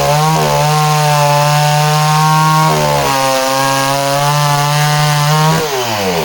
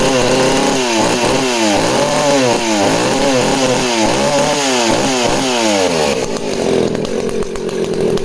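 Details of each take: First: Danarm 36 "hot rod" chainsaw with stainless steel exhaust, cutting wood: strong steady howl dips and recovers cleanly with no stutter; intermittent off-load misfire disappears under load, healthy running. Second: Danarm 36 chainsaw running: buzzing with uneven surges and breaks, occasional popping and misfiring; owner suspects the primary coil, not confirmed.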